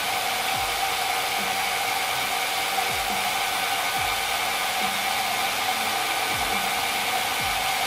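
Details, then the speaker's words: Citroën 2CV/Méhari cylinder head after microbead blasting, hand-lapping a valve into its seat with light, intermittent pressure. A gritty rasp sweeps back and forth about once a second over background music as the valve head and seat polish toward a perfect seal. "C'est la tulipe qui frotte sur le siège de soupape. Et à ce moment-là, les deux côtés vont se polir jusqu'à obtenir une étanchéité parfaite. Donc maintenant, je vais faire tourner ma soupape de manière à roder le siège et la soupape."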